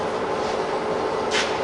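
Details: Fully rebuilt Bridgeport milling machine, 42" table, with new gears and all bearings replaced in the head; powering up the head gives a smooth, steady whir with an even mid-pitch hum and one brief hiss, no knocks or grinding, running sweetly.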